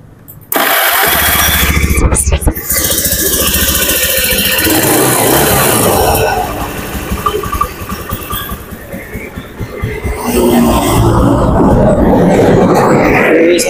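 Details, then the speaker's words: Honda Beat FI scooter with a new battery and oil: it fires readily, then runs rough and uneven at idle and fades as if dying. It won't hold idle despite EICV, TPS and injector checks. "Ada apa dengan motor ini ya sampai mati-matian seperti ini?"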